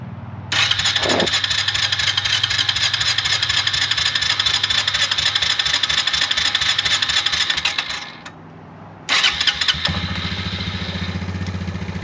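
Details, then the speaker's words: 2004 Suzuki Ozark 250 ATV, long unrun, after carburetor replacement, fresh 10W40 oil change and tune-up, started with a little choke: fires straight away, settles into a quick even idle running slightly high, no misfires or rattles; normal cold start. "A little bit of choke. Oop. She hasn't ran that well in years."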